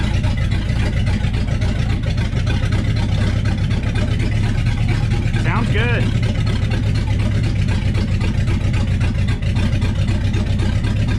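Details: Freshened 390 FE V8 in a 1966 Ford Galaxie on first start-up, distributor not yet perfectly dialed in: deep, steady idle rumble with an even beat, no knocks or misses; normal idle.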